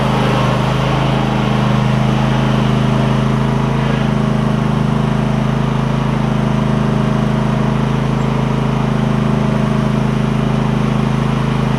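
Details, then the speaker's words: Cub Cadet GT1554 garden tractor with Kohler V-twin, after new ignition coils for a misfire, warm day, blade disengaged: smooth, even exhaust beat at steady speed, no skips or stumbles; both cylinders firing; normal running. "oh man runs fine ran fine before but I knew that it had a misfire"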